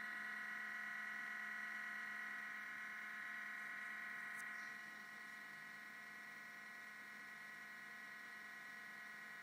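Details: MacBook Pro making a thin steady high whine with a fainter low buzz at startup, dipping slightly midway; sometimes hangs at login or blue screen, Apple store found nothing wrong; abnormal whine, source unknown.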